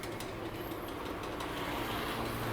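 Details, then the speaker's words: Used KING heavy-duty drill press (Taiwan), refurbished with new bearings and fresh grease, 220 V single-phase motor, two step pulleys giving 4 speeds: steady, quiet motor hum with a light belt whir, no knocks or rattles; runs normally. "มีทุกอย่างใช้งานได้ปกตินะครับผมหัวนี้เงียบนะครับรอบสามารถปรับได้4Stepนะครับ"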